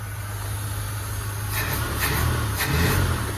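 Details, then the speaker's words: Cheap squarebody Chevrolet Custom Deluxe V8 pickup, first run, cold: deep even burble swelling smoothly with light throttle blips, no misfire or knock, no shaking; engine runs healthy. "That's pretty incredible. It's running like a top. It's running amazing. Wow. Smooth."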